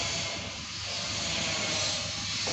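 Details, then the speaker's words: Fuel-injected motorcycle fuel pump tested at key-on, spraying into a glass bottle; steady hissing spray with no sputter or gaps. Spray is normal, and the fuel and filter are good. "Ayo kita tes semprotannya dengan memutar kunci pada position Nah itu normality test itu normal"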